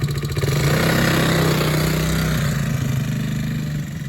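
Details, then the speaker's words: Chinese ATV (scooter quad) after oil change, ridden with no air filter, diaphragm carburetor: revs up, stumbles and sags unevenly as it settles; hesitation, cause not confirmed. "Sounds like it's hesitating, but it ain't got air filter on it, and it's got diaphragm on the carburetor."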